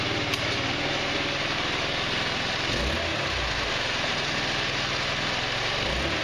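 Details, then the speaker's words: GY6 150cc Chinese retro scooter (Verano 150) after valve adjustment, on center stand, plastics off: steady smooth buzzing idle with even beat and no top-end ticking; normal idle, valves quiet. "remember the bikes on its center stand much better it's not tapping"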